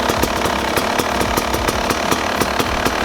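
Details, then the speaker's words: Two-stroke bike, warm, with the idle screw turned so it ticks over on its own before air screw adjustment: crisp, fairly even popping about four beats a second, holding steady without throttle; normal idle. "I've turned my take over all as you can see it's nice and constant now on its own I'm not touching like that"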